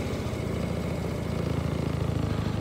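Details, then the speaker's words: Kymco Bet and Win 250 scooter project, idle screw being turned down after the idle had been bumped up: a steady single-cylinder putter whose firing pulses grow slower and heavier. Idle speed drops with the screw. "you'll hear it slowing down so I bumped that up a little bit"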